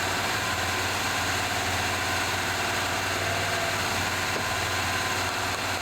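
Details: 1978 Chevy C10 square body, first running on 4-5 gallons fresh gas: steady even V8 idle with no misses, knocks or surging; smoke under hood, likely burning off old stuff with a suspected transmission fluid leak, oil pressure gauge not moving.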